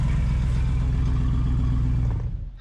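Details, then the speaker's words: Jeep at idle: loud, blatty low rumble with a raw unmuffled edge, heard from inside as rough and smelly; the muffler seems to have a big hole, an exhaust leak from the muffler and tailpipe. "didn't sound very good did it sounded pretty rough terrible how' it sound inside dad it sounds like the muff's got a great big hole in it inside"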